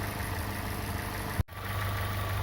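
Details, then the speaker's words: Opel Corsa OPC 1.6 Turbo (192 hp) after the block was bored oversize with new forged pistons and rings to cure piston knock when cold: a steady, even idle with a deep low hum and no piston knock. "Ну что собрал я двигатель завел послушать как он работает четко поршня не стучат можно отдавать клиенту"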